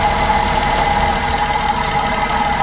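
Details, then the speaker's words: Suzuki Every Wagon (DA64W) kei van petrol engine idling unevenly with irregular low thump and vibration; cylinder 2 ignition coil unplugged with no change in running, identifying cylinder 2 as the misfiring one. "nakita Ayan oh so cylinder 2 walang pagbabago sa andar Ayan oh walang pagbabago sa andar yung cylinder 2"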